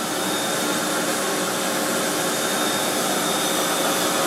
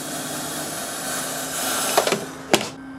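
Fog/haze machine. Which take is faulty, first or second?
second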